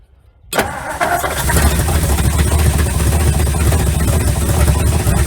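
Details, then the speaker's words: 1956 Ford Customline 292 V8 with Holley four-barrel, unused 50 years: catches and runs a rough, slightly uneven idle only on fuel squirted into the carburetor with no fuel supply hooked up; ran longer than expected. "ran longer than i expected"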